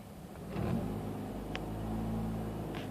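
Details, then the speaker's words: 2004 Mazda RX-8 rotary with low compression, after sitting about two weeks, warm after about 5 minutes (idle settling near 1100 rpm): idle swells and sags by itself with no throttle input; owner suspects ECU over- or under-fuelling once warm, unconfirmed. "Starts to do that by itself. I haven't touched the throttle here."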